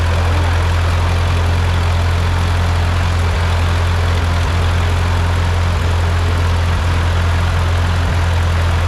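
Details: Ford 8N tractor engine just rebuilt, first run: even, steady low putter at idle with smooth unbroken beat, no knocks or misses; engine sounds healthy.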